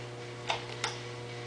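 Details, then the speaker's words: Very old living-room ceiling fan energised but stalled: low steady electrical hum with a few sharp ticks and blade vibration, no sound of turning, even after pushing the blades; owner suspects the rotation mechanism is broken. "I feel the blades vibrating, but it's not moving. Okay, you gotta push them."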